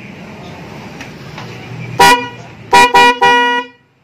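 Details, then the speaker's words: Denso snail horn newly installed with relay, battery-powered, on an automatic Vespa: one honk, then three short flat mid-pitch honks over idle hum; installer suspects the right-side horn is still obstructed; weak horn. "masih ada yang terganjal yang sebelah kanan kayaknya Hai belum maksimal banget suaranya eh"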